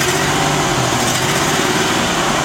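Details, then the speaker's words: 2001 Ford E250 with 4.2 engine, runs bad with misfire code: petrol engine runs unevenly with an irregular stumble, a clear misfire; vacuum steady, mechanical side judged good. "Now, when it runs, it runs like a clear misfire."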